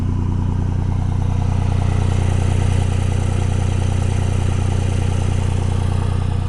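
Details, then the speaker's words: 2002 Dodge Ram 24-valve Cummins HO, VP44 pump, cold high idle about 1200 rpm switched into three-cylinder warm-up mode: loud deep lumpy uneven chug about 200 beats a minute; normal, adds load to warm faster. "kind of sounds like a little bit of a mess it's kind of a normal sound you'll hear out of them"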